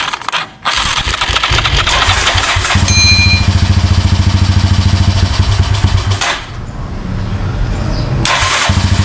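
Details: Motorstar Xplorer Z200 after a no-start repair (flywheel had come off, stator destroyed): cranks briefly, catches into a steady single-cylinder beat near three pulses a second, then revs cleanly; starts healthy.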